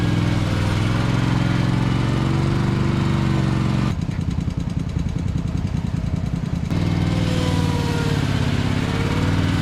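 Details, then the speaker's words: 2021 Toro TimeCutter zero-turn, used, which earlier shut off after 1–2 minutes (possibly from being cold), restarted with the cover on: a steady low drone at even speed with no stumbling while it mows an acre. Normal running. "all right so I was anxious to try it made a bunch of ruts in my property but that's okay so far it's still running so that's good"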